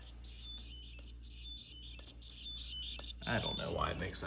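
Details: Basement fire alarm system being upgraded, test before the horn circuit is attached: high chirping tone pulsing two or three times a second, then a louder harsh squawk; abnormal squawk, cause unknown.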